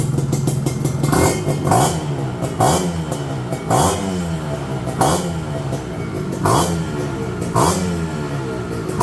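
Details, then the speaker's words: Two-stroke motorcycle (KR, flat-tail) with PopSpeed PS exhaust and autolube, easy start: crisp blips rising and settling to an even idle over background music; idle very steady, engine quiet and healthy. "รอบเดินเบานิ่งมากเครื่องเงียบกริ๊บเลย"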